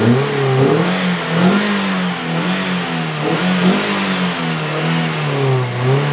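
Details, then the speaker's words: Toyota Vios Gen 3 at final inspection after upgrade and modification work, revved hard to about 4,000–5,000 rpm; clean rev rises and falls smoothly with a very dry, even note and no metallic ticking or rough sound, engine healthy. "Kalau ini kan suaranya masih kering banget nih."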